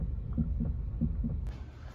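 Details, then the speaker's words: Honda Civic: dull low knocks in pairs, like a heartbeat, from one front corner as the steering wheel is turned or rocked lightly; owner unsure whether something has play; cause not confirmed. "aqui é o Honda Civic e apareceu um barulinho rapaziada na volante quando a gente gira gira ela ou então pega bem de leve bem de levezinho"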